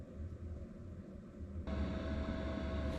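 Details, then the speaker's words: Van diesel heater running from an EBL 500W power station (8 A output, heater said to need 10 A) on a cold night: soft regular ticking at three to four per second, then the blower hum joins; normal fuel pump ticking at startup. "Oh, that's the fuel pump. I think it's gonna start up. Hasn't completely gone through startup yet."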